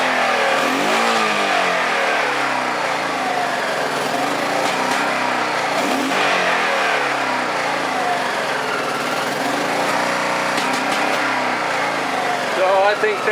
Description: This time it is back firing with the throttle just cracked open. While I am assuming this is yet another low speed jet issue... it is possible this is being caused by a low voltage condition.